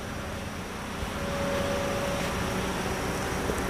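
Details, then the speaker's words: Toyota Calya / Daihatsu Sigra AC after replacing the fuse: compressor now turns and cabin air that was not cold now blows cold; steady even rush of air with faint constant hum, no cycling or rattle, normal AC operation. "nah ini ya Nah ini kita rasakan hasilnya yang awalnya ndak dingin sekarang sudah dingin ya"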